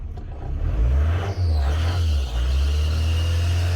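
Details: 1993 Ford Transit camper van diesel, hard to start after sitting for weeks, losing power with heavy black smoke: deep rumble that rises on the rev but sounds flat and strained. Owner suspects the EGR valve is stuck open. Power loss when revving.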